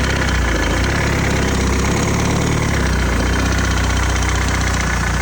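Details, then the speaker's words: BMW X3 diesel, a used daily being made MOT-ready, idling steadily. A light, fast tick up front rides on the idle rhythm; diagnosed as the rubber-bushed crank pulley. "First things first, there is a horrible noise coming from up here. It's like a ticking noise."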